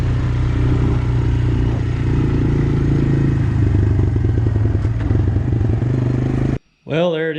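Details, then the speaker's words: Honda Recon ATV, abandoned, after brake repair and oil change: smooth, steady low four-stroke thrum with even firing, no clatter or misses on test run; running healthy. "ran it around a little bit it's running great actually kind of surprised how good it runs"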